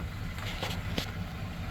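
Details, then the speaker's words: Thunderbird with burnt-out FMX automatic replaced by a used unit, new front seal, freshly filled with fluid, backing out: engine murmurs steadily as the car eases back, no slip flare, clunk or whine; reverse engages cleanly. "Oh no, it went into reverse, guys. There's signs of life."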